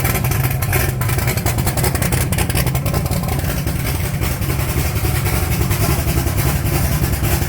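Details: 1980 Trans Am with 80mm turbo, first start after fuel pump returned from repair: loud, deep, steady idle with lumpy cam rumble, no misses or knocks; running healthy, though a leak remains to fix.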